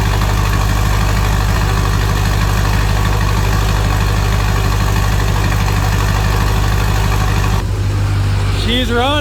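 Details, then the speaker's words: 6.0 Powerstroke on stock fuel, first start after S369SXE non-VGT turbo install, intake off: deep even diesel idle with steady turbo whistle, no knocks or misses, quieter than expected; normal idle. "and she's running good look at that boys so much quieter than I expected"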